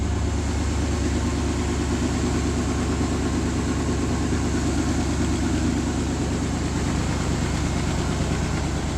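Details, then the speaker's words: 1992 Chevy S10 swapped from TBI 4.3 to TBI 5.7 V8, 3rd-gen Camaro manifolds, V8 TBI, reused 4.3 ECM: deep, steady V8 burble at idle, even beat, no stumbling; slight passenger-side exhaust leak but runs pretty good. Normal idle. "I do have a slight exhaust leak on the passenger side, but otherwise than that, it runs pretty good."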